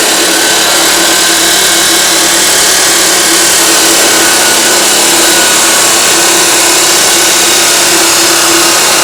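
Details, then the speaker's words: Abrasive chop saw running at full speed with a new 14-inch cut-off disc, cutting exhaust tubing: a harsh, gritty high hiss over a steady hum that sounds rough; worn motor bearings are suspected. "sounds like it's seen better days sounds like the bearings are going in it"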